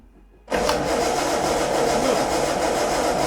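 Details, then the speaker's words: Crank, no start on a project car under revival: the starter churns steadily at about three to four turns a second with no firing. The rev counter flickers and the dashboard partly comes alive. "It's not going to start. Why did the rev counter go up and down, and why is some of the dashboard coming back to life? Because you've got some issues."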